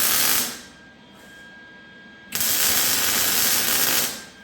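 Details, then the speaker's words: MIG welding tacked c-notch on a chassis: harsh crackling bursts cutting in and out with dead gaps instead of a smooth sizzle; arc sputtering, suspected out of shielding gas, though the gas tank was new. "It's sputtering. Yeah, just keep going. Sometimes it works like that. Just a minute now. Sounds like you're out of gas, doesn't it?"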